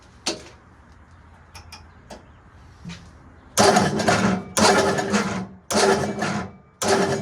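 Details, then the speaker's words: Machine after starter repair, on a temporary fuel tank, battery a little low, which the owner thinks made the starter struggle: a few quiet clicks, then the engine catches and runs in strong throttle bursts; normal start and run. "Seems to be pretty happy. Our battery is a little low. I think that's why our starter is having a It seems a little happier now that it charged for a minute."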